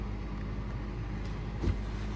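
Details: 2020 Nissan NV200 S cargo van, 2.0L 4-cylinder, automatic, 107,867 miles, fresh oil and filter change: engine catches promptly and settles into low, steady, even idle; healthy start and idle.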